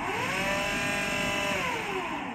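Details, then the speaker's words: AEG Lavatherm 56800 tumble dryer, end of cycle: steady motor hum with a clear mid-pitched tone easing down near the end; normal brief anti-crease tumble. "okay so let's come to the end and priests carriage that means it'll agitate it a little bit"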